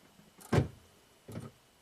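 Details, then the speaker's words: 2012 Buick Enclave power liftgate latched shut, no DTCs: pressing the liftgate handle switch gives two short latch motor whirrs, louder then softer, with no release clunk. Latch motor release command goes from active to inactive but the gate stays shut. "so you can hear something's happening foreign this thing tried to do something"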